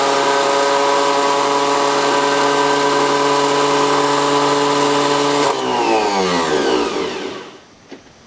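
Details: 1981 VW diesel pickup jumped from a Chevy diesel with 2000-amp batteries, four-month-old Napa starter: steady high starter whine with a quick pulse, engine turning but never catching, then spinning down. Solenoid cold afterwards. Cause unknown.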